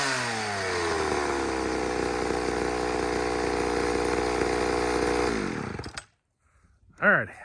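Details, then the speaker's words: Chainsaw run on leftover fuel, not freshly refueled, unlike two refueled saws that misbehaved: steady, even high-revving two-stroke buzz held smoothly about five seconds, then clean shutoff; saw runs fine, though the chain hit a rock. "saw number three is running just fine except for you know i hit a rock with the chain so we ain't gonna cut nothing"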